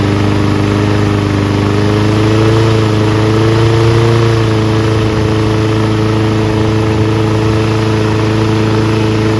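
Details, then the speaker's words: Toro Recycler Personal Pace mower with a Loncin engine, running after a belt change. Steady, even drone with no knocks or misses; it sounds good, though the RPM perhaps needs slight adjustment. "Sounds good. Maybe the RPM should be adjusted a little."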